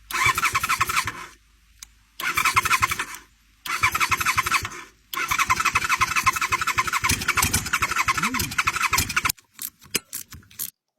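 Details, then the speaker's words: 1989 Honda VTF250 Interceptor, 249cc V-twin, bike with fuel dumped in. Bursts of fast, uneven starter cranking with pauses, never catching; spark present but plugs badly fouled. "Well, we definitely have spark there. I'm going to go get some new plugs for this thing."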